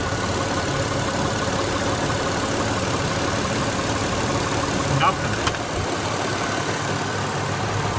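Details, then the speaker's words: 2008 Acura MDX after power steering pump replacement and bleeding at 2000 rpm with lock-to-lock turns: smooth, even idle with no metallic clinking or pump whine, and steering much stronger. Normal idle. "can't hear anything anymore no more metal clinking and uh power steering itself is a lot stronger"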